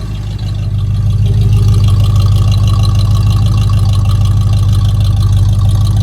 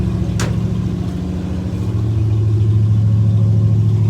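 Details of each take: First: Chevy C10 rebuilt 350 V8, warmed up in the shop: deep even rumble, steady loping beat, no knocks or ticks; strong healthy idle. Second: Chevy C10, cold, idling low: uneven lumpy beat that stumbles and floods if the gas pedal is touched more than slightly; owner suspects carburetor float level is wrong, letting it warm up.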